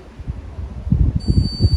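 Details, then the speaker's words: Candy condenser tumble dryer on bench test, door switch locked, control panel and TC sensors reconnected: low fan hum, then a single sustained high beep after about a second, E22 error because the heater is not connected. "As you can see, we still got this E22 error because the heater is not connected."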